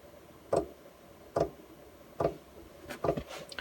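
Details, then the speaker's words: Chinese all-in-one diesel heater in a van, starting up with cabin at 11–12°C: sharp regular ticks a bit over one per second, fuel pump metering diesel as burning begins; normal start. "yeah you can hear the clicking noise there and that means that I'm gonna start getting some warm air out of here soon"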